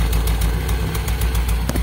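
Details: Toyota Soluna with a misfire (brebet, limping): uneven blub-blub exhaust beat with skipped pulses at low idle, heard at the exhaust during a test swapping the cylinder 1 and 2 plug wires; the cause was a faulty spark plug wire.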